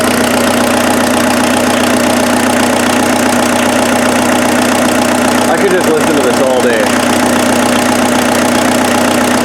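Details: Freshened-up turbo diesel in an offroad Mazda truck idling after getting it running: a steady, even, clean clatter with no misses or knocks. Much smoother than the previous engine, no smoke; normal diesel idle.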